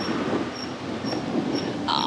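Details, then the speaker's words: Estarli E28 electric bike riding on road: thin, high squeak about twice a second with wheel rotation; front wheel sitting crooked and rubbing. "can you hear that squeak you've got this is my turning getting close to the bike shop here"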